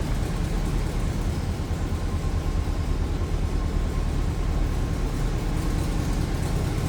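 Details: 1967 Volkswagen Transporter Camper, recently rebuilt 1600cc air-cooled flat-four, four-speed manual, in neutral: low, steady flat-four burble at idle with an even rhythm and no knocks or ticks; healthy engine.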